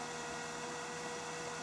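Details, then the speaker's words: DIY EV conversion electric coolant pump, PWM control unplugged so it runs at full speed; steady even whir with a thin high tone, no knocks or rattles; circulating coolant through the whole system normally. "If you're curious to hear what happens if I remove the PWM, all I have to do is unplug this, and the coolant pump goes up to full speed."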